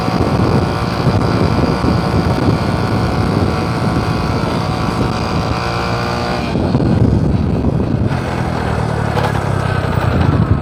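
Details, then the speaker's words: Honda Supra X 125 Karisma road test uphill: a deep, full exhaust drone pulling steadily under load with stronger response and no slipping or surging. Normal hill climb. "di sini suaranya terdengar lebih agak berat ya agak bertenaga tes di pendakian teman-teman let's go"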